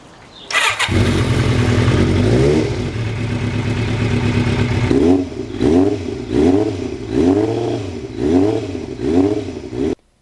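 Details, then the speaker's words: Motorcycle after swap to Ninja muffler with reworked mid pipe and brackets: starts to smooth idle, clean even throttle blips, soft mellow exhaust tone, softer and mellower than the Norton, no rattles or popping; normal exhaust note. "so i was real happy the way the sound was it's really a lot nicer and softer and mellower than the norton was"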